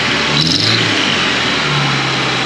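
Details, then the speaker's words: Toyota 4Runner with a newly fitted exhaust manifold, running rich and held at raised idle: hissing, puffing edge over the steady exhaust note; a suspected exhaust leak from a joint that isn't sealed. "all right I'm going to uh shut this down and I got to take that stupid guard back off it sounds like something's not sealed"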